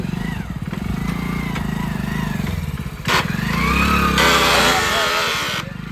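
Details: Brand-new Hero Splendor motorcycle with about 3,000 km, engine thumping, wavering high squeal, chatter and scraping rush on braking. It appears when the brake is fully pushed. The bike had been ridden through mud. Drum brake squeal.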